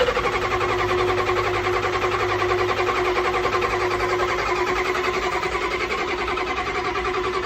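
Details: Super hard start: long stretch of steady rapid cranking at roughly three to four pulses a second without the engine catching; cause unknown.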